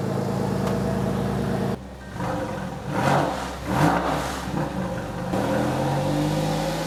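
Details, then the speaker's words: Porsche 911 (996) after water pump replacement (old pump pulley wobbled and rattled), cold outside: steady even idle with smooth throttle blips that rise and settle cleanly, no ticks or knocks, no leaks; runs good. "All right, that's gonna do it for today. No leaks, runs good."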